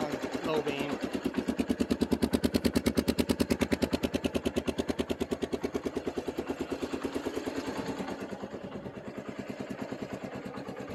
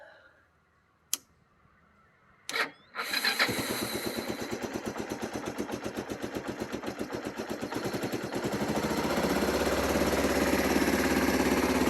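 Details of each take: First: Secondhand 1995 Kawasaki Bayou 300 4x4 ATV, single cylinder, in neutral on choke, low on gas: even putt-putt at about three beats a second, slowly settling as it warms; sounds healthy and steady, seller said clutch rebuilt. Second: 1995 Kawasaki Bayou 300 4x4 ATV in neutral, owner suspects low gas, choke on: clicks and cranking, then it catches into an uneven putter that slowly picks up speed; a slow, struggling start.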